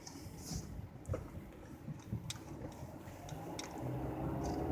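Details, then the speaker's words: 2012 Honda CR-V after refitting a right front wheel held by only three lug nuts: low steady road rumble at low speed with no more clicking or knocking, fixed. "there's no more clicking or anything like that so that's basically fixed"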